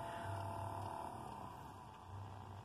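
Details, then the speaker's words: 1988-94 Chevy/GMC truck, newly installed recirculation door actuator switched from vent to recirculate: soft motor whir in two short bursts as the door moves; working properly. "so it's on vent right now if I put on recirculate that actuator we put in there"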